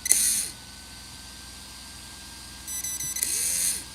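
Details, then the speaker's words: Brushless RC motor on a Hobbywing XR10 Pro ESC, still stuttering after the motor was swapped with a friend's: high motor whine in short throttle bursts that catch and chop over a steady ESC fan hum. Faulty speed controller suspected. "So normally you just kind of, but you can hear it stutter a little bit."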